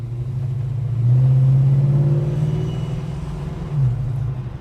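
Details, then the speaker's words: Holden HK with automatic, fully warmed up, driving after a horrible low-speed acceleration noise that a viewer blamed on a worn cam lobe, which owner doubts; smooth, deep exhaust drone swelling under load, no knock or rattle, noise gone. Normal acceleration. "well that noise is now gone and was sounding like it always has had that beautiful nice little note out the exhaust"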